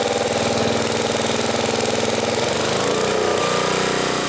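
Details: 1980 Homelite 5000 W generator with cast-iron Briggs engine, load test powering a 220 V three-horsepower air compressor: steady single-cylinder drone with a slight dip as the compressor load comes on, even firing, doesn't smoke; healthy under load.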